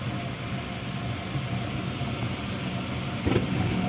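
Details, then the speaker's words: Home furnace after draft inducer replacement: steady low fan hum, soft whoosh as the igniter lights the burners, then an even, smooth, quiet run; normal running. "now this is the way it's supposed to sound you go back to the beginning as opposed to now you see the difference"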